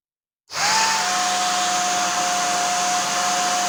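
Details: Old worn hair dryer motor bench-run with a 0.22 µF capacitor added: spins up to a steady high whine with harsh rough hiss; worn commutator arcing, motor finished.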